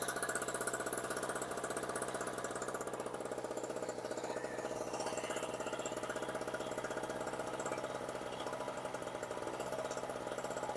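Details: Storm Cat 700W two-stroke 63cc generator run on 40:1 fuel mix (spec 50:1), a little smoky: fast, even buzzing beat around four pulses a second with steady pitch; running smoothly with no stumbles.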